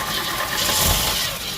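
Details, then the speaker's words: 1973 Ford Mustang 302 V8, first start in 10 years after new fuel pump fitted: brief crank then quick catch and swelling roar, idling well; normal start. "oh that sounded good hey look at that wow hasn't ran in 10 years"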